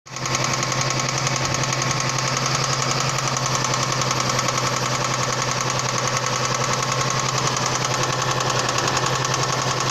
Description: Стук двигателя. Провернуло шатунные вкладыши на коленвала.